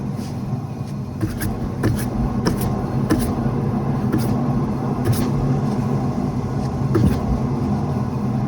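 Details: Rear right wheel bearing, car lifted with the wheel spun off the ground, phone at the rear wheel: a low continuous rumble with scattered ticks rather than a helicopter noise; worn wheel bearing.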